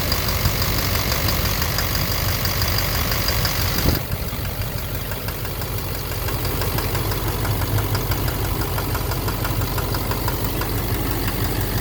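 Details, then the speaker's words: 2009 Silverado 3500 Duramax LMM diesel, 59,900 miles, cold-start morning, idling in neutral: uneven sharp knock over normal clatter, louder in drive/reverse; suspected engine/bottom end, injector or cracked flexplate considered, oil analysis clean; unconfirmed. "Alright, so it's knocking and put her into there's neutral. Oh. It's still there in neutral when I first started this morning, yeah. But obviously once you put it in drive or reverse, it's very loud."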